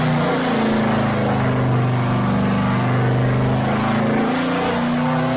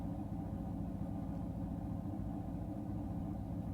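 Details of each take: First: Chevy LT1 383 dyno engine (quiet street cam, unported LT4 heads) on full-throttle pull from 3200 to 6200 rpm: note climbs steadily, briefly stumbles mid-pull then recovers; suspected ignition-related, perhaps a loose wire, never found nor recurred. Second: Chevy LT1 383 on engine dyno, quiet street cam, unported LT4 heads, first startup: deep even V8 rumble warming up at idle while initial timing dialed from about 30 to 36 degrees; brief smoke cleared, normal.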